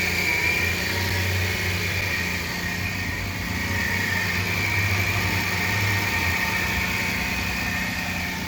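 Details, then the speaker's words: 2007 Hyundai Veracruz engine growling after startup at idle: steady rough growl with whirring ringing; serpentine belt replaced first, cause was the idler pulley, fixed by replacing it. "so it looks like the problem was the idler pulley um making some type of growling noise"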